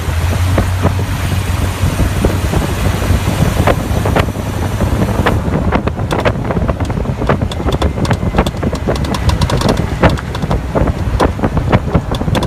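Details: Jeep Cherokee while driving: sharp irregular pops, a couple per second, from the rear over heavy wind rumble; popping noise from the rear, source undiagnosed.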